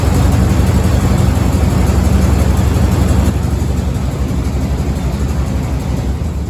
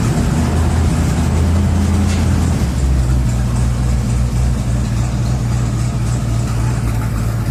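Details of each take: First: 1987 Chevy 3500 with 454 TBI V8, new distributor cap and rotor just fitted: heavy, lumpy idle with an uneven pulsing beat that sags and stumbles; misfire. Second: 1987 Chevy 3500 454 TBI V8 with side exhaust, after the misfire was fixed: deep, even rumble with a steady low beat and no stumbles or dropouts; normal idle on all eight cylinders.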